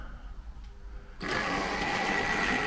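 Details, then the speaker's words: Original 1963 Triang set locomotive; quiet start then a steady buzzy whirr with a high whine on top; typical Triang motor running normally. "ou can hear it's got quite an interesting sound and you can see it's a little bit jerky straight out the box so I'm not over wor probably just needs a good oil but it's uh as I say quite uh quite whispery should we say in terms of its sound"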